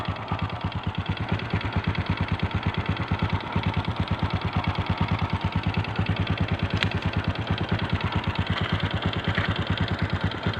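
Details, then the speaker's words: Rim 125 motorcycle after its carburetor was replaced: steady, even idle with no missing; before the repair it misfired and stalled. "Mga boss umandar na siya. Okay na yung kanyang hand. Hindi siya kaya kagaya ng palyado."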